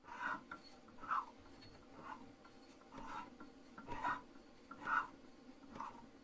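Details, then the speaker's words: Valve being ground on a valve grinding stone: short rasp about once a second as the valve turns, quiet in between, because the face contacts the stone only part of each turn; about three-quarters of a thou maximum runout. "so it's off the stone contacting stone off the stone contacting the stone now i do have this thing rather zeroed in rather dialed in i only have about three quarter of a thou maybe maximum run out"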